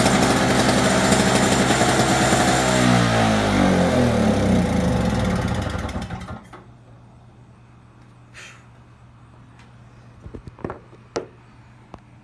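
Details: Two-stroke snowblower started: fast buzzing note far above normal idle, wavering and sagging, then cutting out near six seconds, very smoky with lots of gas in it; high idle, cause unconfirmed.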